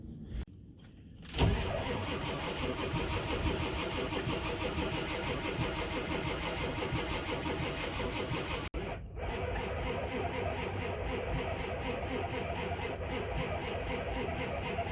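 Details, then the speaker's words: Ford 7.3 Powerstroke diesel below 30°F, cold, on three jump packs after fuel heater and cracked-cap fuel leak repairs: labored, sluggish cranking that never fires; batteries too weak to spin it fast enough, to be charged before retrying. "that's too dead we're not gonna be able to start with these jump packs right now i'm gonna actually try to charge the batteries up"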